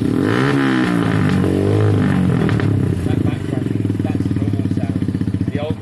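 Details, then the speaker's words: SYM XS 125 after swapping gummed-up carb for a new up-jetted one, oversized Black Widow exhaust: loud single-cylinder putter revs up and drops back to a slightly lumpy idle, runs cleanly, picks up without stumbling. "very loud but the bike ran very well"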